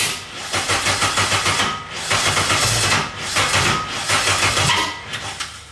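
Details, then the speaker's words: K24-swapped Nissan Cefiro at its first start, after charging a weak battery, cranks in uneven surges with part-fires that never catch; the ignition timing is off, with the TDC offset and timing marks not matching, found later with a timing light. "I don't know. It's like it's trying, but it's like the timing's off or something."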